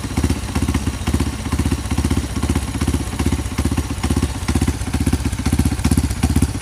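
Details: Honda CRF150 supermoto bored up to 200cc with a Juken 5 remap for idle and timing, just started. Lumpy single-cylinder beat with evenly spaced firing pulses holding speed, no knocks or rattles: normal idle.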